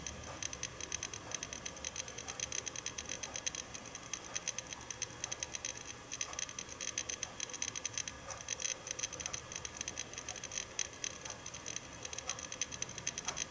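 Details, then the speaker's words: Seagate Barracuda 7200.10 500 GB hard drive, about 10 years old, bundled with a Synology DS415+ NAS, unedited raw audio while writing a 10 GB copy: rapid, irregular Geiger-counter clicking over a faint steady hum. Very loud head seeking. "hopefully you have heard enough of the hard drive and i hope you now understand why i've appropriately named that drive guide your counter"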